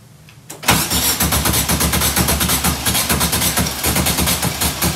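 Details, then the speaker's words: 1967 VW Karmann Ghia abandoned 45 years, cranking on a freshly charged battery: quick steady starter churn that never catches. No fuel is being drawn through the line; fuel pump suspected. "hey sounds like he's trying to do something it's not sucking any gas through here though hey"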